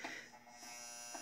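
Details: Gottlieb Centigrade 37 pinball: faint constant fixed-pitch electrical buzz from a solenoid, 60 Hz mains current vibrating a loose retaining plate; pushing the plate stops it.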